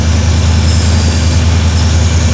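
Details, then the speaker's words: 1956 Chevy V8 idling around 800 rpm after the idle was lowered, with a small vacuum leak, possibly at the front hose, needing a smaller hose; deep steady idle with faint airy hiss. "huh we have a vacuum link or something maybe that front [Music] one oh little bit of vacuum L right"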